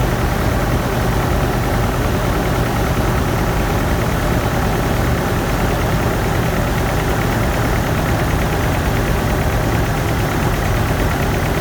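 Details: GMC 2.8L 4-cylinder truck idling with cylinder 3 misfiring, an uneven stumbling lope with a dead beat. Its ignition coil was accidentally broken during a timing chain repair and no scanner codes were set. The end of the clip shows all cylinders firing.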